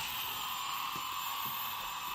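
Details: Hubsan GPS quadcopter motors spun up to demonstrate the tilt motor-cutout feature: steady, even high-pitched hiss-like whir with no surging or catching; normal motor run.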